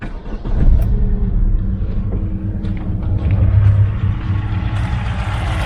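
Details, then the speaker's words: Chevrolet Aveo T250 (LPG-equipped, rough idle on petrol only, no fault codes): uneven, lumpy idle shake persists; test lamp shows injector pulses arriving, so the injector itself is faulty or clogged, one cylinder dead. "двигун ЯК трсся так і трясеться"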